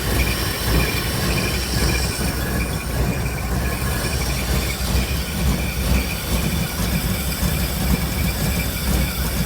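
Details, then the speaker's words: Truck V8 with worn rings burning oil, cold start after compression test: uneven, lumpy rough idle, much better than the earlier violent shaking; owner suspects the cold or a choppy heavy cam, cause unconfirmed. "Listen to that. Actually sounds good. Still a little bit rough actually. Not really sure what that's about."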